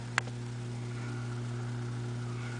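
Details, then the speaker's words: Philco 42-380 radio chassis powered at about 70–75 V, half voltage, from a homemade variac: faint constant low hum from the speaker; volume control doesn't change it, treble control makes it louder. "faint hum and the volume doesn't do anything doesn't seem to change it"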